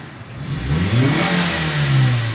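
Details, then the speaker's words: 2012 Suzuki Cultus EFI after cleaning rusty, blocked throttle body that caused misfire and stalling: engine climbs cleanly when blipped and drops back smoothly, stable RPM; normal rev response after repair. "RPM ये देखें viewers ये अपनी जगह पे आ गए। मैं अभी आपको एक्सीलरेटर भी देके दिखाता हूं।"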